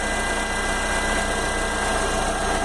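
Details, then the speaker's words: 2011 Fiat Novo Palio 1.4 engine at 90,000 km, idling: quick, even ticking underneath, loudest low on the engine; traced to the oil pump, to be replaced, engine ticking noise. "mas é isso o motor com 90 mil apresentando problemas"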